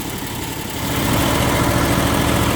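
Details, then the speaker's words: Small engine with electric fuel solenoid on a brand new carburetor that wouldn't start, after fixing the solenoid and choking: catches and settles into a steady, even low putter; running normally. "So, but that's the secret to getting your machine running after you put your new carburetor on and it ain't starting."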